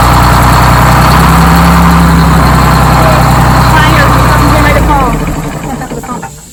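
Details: Freshly rebuilt Detroit Diesel 6-71 two-stroke in GM bus 3751, first run: firm, even idle beat of about four pulses a second, then a clean wind-down at shutdown; healthy.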